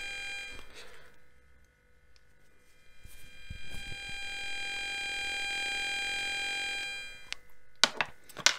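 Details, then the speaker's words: Bakeey G8 magnetic Bluetooth 5.0 neckband earphones: a thin, high electronic buzz swells for a few seconds and then fades, coming and going as intermittent interference noise even with nothing playing. "you know it is just as just a shame because otherwise it would be a super comfortable and I would be super happy with this we dis her set a headset and or earphone or whatever it is but you know it makes it really an unpleasant experience"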